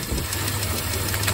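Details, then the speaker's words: Dodge Caravan at idle with reported misfire, coolant leak, oil-burning smoke and burning-antifreeze smell: quick light valve train tapping, seeming to come from the front but louder at the back with a screwdriver stethoscope. "You can hear there's something going on with this valve train. Definitely. Sounds like it's coming from the front, but I stuck the screwdriver back here and took a listen, and it sounds like it's coming from the back mostly, actually."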